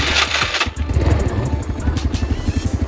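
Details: Yamaha Mio Sporty scooter that misfires and loses power at full throttle, after cleaning and fresh gasoline with idle tuned: starts and settles into a quick, even putter, a clean normal idle.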